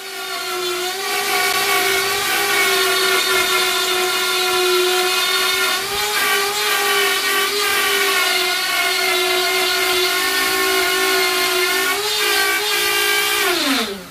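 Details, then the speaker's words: Grizzly T27139 laminate trim router, about four months old, cutting a circle: steady high whine, then it suddenly loses power and spins down in half a second; motor speed had been surging, suspected short; cuts out under load. "so as you see the machine just shut off i flipped the switch on and off a couple times"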